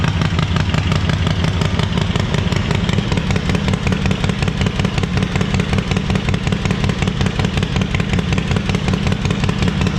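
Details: Stone-cold start of a 131ci Harley Breakout V-twin (just over 140 hp) after a Screamin' Eagle high-volume oil pump and cam support plate were installed and pushrods were preloaded 100 thou and bled down. A steady, lumpy low potato-potato idle with no knocks or rattles. Normal idle.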